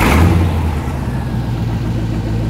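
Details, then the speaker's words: 1992 Chevrolet Corvette V8 revving with a loud, raspy, unmuffled rumble. A substantial exhaust leak sits right up front near the manifolds. The car was also suspected of not firing on all eight cylinders and had restricted, glowing-red catalytic converters. "that's no small leak it's like right right up front"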